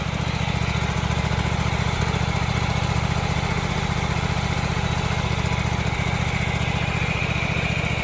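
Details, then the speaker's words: 2003 Walker MT riding mower after replacing idler pulleys and transfer shaft bearings: steady, even low thump about three pulses a second, no knocking or grinding; much quieter than before repair. "Well, take my word for it. It was much quieter this time than it was before."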